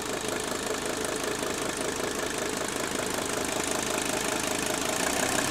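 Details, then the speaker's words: Mercedes 300D diesel with dual-tank conversion, after switching from diesel to straight vegetable oil: even, steady idle clatter with no sharp knock standing out; injector knock reduced, engine idling smoothly and quietly. "So, it only took 2 minutes to switch over and to quiet this engine down running on straight vegetable oil. Isn't that amazing? Listen how quiet that engine's running now."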